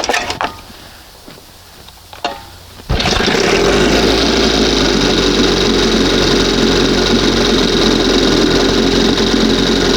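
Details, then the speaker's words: 1971 Johnson 20 hp outboard with donated points and new condensers, warmed up: after a few clicks it fires and holds a fast, buzzy idle with slight unevenness, still a little funky; runs a bit rough when warm. "Still a little bit funky here, but sounds good. Something sounds something something."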